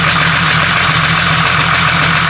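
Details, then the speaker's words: Jeep 4.0 engine at idle on Rotella T4 10W-30 oil, pistons probably not yet back to room temperature: fast, light, bright metallic ticking over the engine hum; lifter noise persists despite the oil change. "The pistons probably aren't cool off back to room temperature. So that's why we're immediately going back to that noise."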